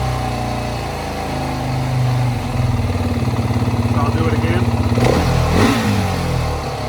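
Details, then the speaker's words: 2019 Beta 430 RR-S motorcycle: engine revved to about 4000–5000 rpm hangs near 3000 rpm for a second or two before dropping to idle; the throttle body was faulty and was replaced. "okay so you see around 2000 here's a flip you notice it stays at 3000 for a little bit and then it drops down to idle"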